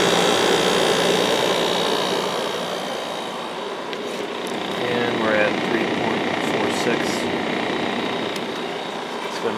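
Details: 1995 Kenmore 5,450 BTU window AC, Sanyo compressor under load, with GE PSC fan: even fan rush over a quiet, steady compressor hum, no rattles or clicks, running normally.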